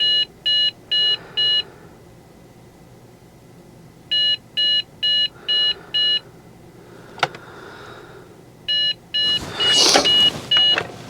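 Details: Trash-picked Dell Inspiron 660S desktop: groups of four short, high, equal beeps repeat with pauses between them after it shuts off and restarts; a failed-boot POST code, later traced to a bad CMOS battery.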